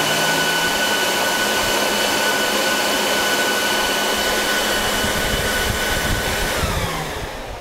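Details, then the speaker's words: Dell PowerEdge 2950 II server in a roughly 20–25°C room: removing a hard drive makes fans ramp up, loud steady roar with thin high whistle, then sliding down. "so if you if i take this hard drive off of the uh button here you'll hear it ramp up again there we go"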